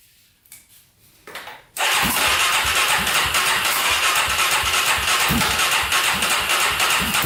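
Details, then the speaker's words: Polaris Predator 500cc quad after fixing no compression (valve work), roughly 17th start attempt with gas in carburetor and choke: a few cranks, then it catches and settles into a steady, even single-cylinder idle; normal start and idle. "that's what i'm talking about oh she started finally that was awesome to hear that oh man after what like 17 attempts finally started"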